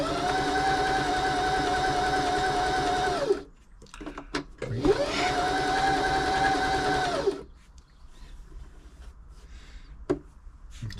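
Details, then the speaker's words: Janome 525s sewing machine after service, stitching: two smooth even bursts at constant speed, steady motor hum, stops cleanly between them; tension good; quiet machine running normally. "So lovely. You can hear it. This is just a quiet machine. They're just well made."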